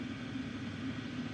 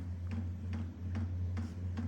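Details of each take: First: Vevor 8KW diesel heater (2025 model), warmed up on power setting 10, heat source about 330–340°, exhaust 350°: a steady even hum and low drone. The pump knocking heard when cold is now inaudible; normal running. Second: Vevor 8KW diesel heater (2025 model), cold startup: light regular ticks about twice a second over a steady fan hum as the fuel pump starts pulsing.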